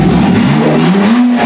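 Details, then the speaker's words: 2007 Honda Odyssey 3.5 towed in with no power, unable to leave idle, now fixed after an Italian tune-up: strong, clean, free rev with rising pitch and VTEC engaging, no stumble. "uh we could hear the v-tech ripping now mind you i'm having a hard time not taking this thing down the road"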